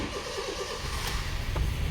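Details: Honda City start after valve adjustment and injector cleaning: brief cranking, engine catches cleanly and settles into an even steady run with no ticking or knocking; normal engine start after service.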